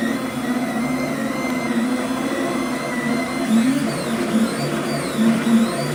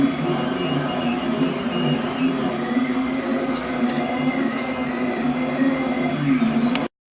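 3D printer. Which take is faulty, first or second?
first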